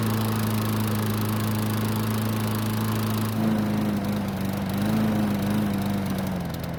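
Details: Troy-Bilt mower, hard to start, runs only after manual priming with fuel, then stops on its own after about 3 minutes: note sags and hunts unevenly; fuel starvation from swollen carburettor float needle seat.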